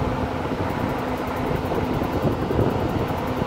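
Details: RV propane furnace installed in a cargo trailer, powered by a Yeti 1250 solar generator, after swapping a propane tank with a faulty valve: steady even air rush with low hum, no surging; flame lit, running normally.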